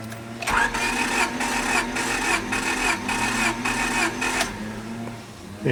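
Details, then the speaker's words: Engine cranked 4–5 seconds during a cylinder compression test, gauge threaded into spark plug hole: starter spins with even pulses about every 0.6 s; engine has a blown head gasket, so compression may read low. "Now keep in mind, this car does have a blown head gasket. I have not done it yet, so the reading might not be as high as a healthier engine, let's say."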